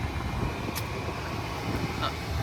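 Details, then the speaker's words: Maruti Suzuki Wagon R AC blower (fan) motor, after clearing the motor of what was likely stuck debris causing noise: steady, even rush of air at speeds 3–4 with no rattle or scraping and stronger airflow. Blower running normally, problem fixed. "सो हमारी problem जो finally solve हो चुकी है और हमारी सारी हवा आ रही है प्रॉपर आ रही है कोई आवाज नहीं है अब"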